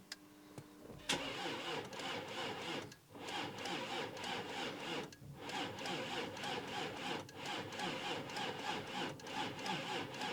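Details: Volkswagen Touareg V6 diesel, 92,000, bought as a non-runner, cranked on jump leads after the fuel pump was primed: labored, uneven starter churning that sags and drags for several seconds without firing. Slow cranking from weak battery.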